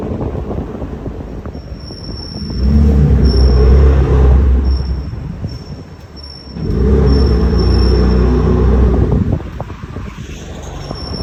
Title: BMW m3 f80 rear brakes making noise while turning (only when brake pads are warm)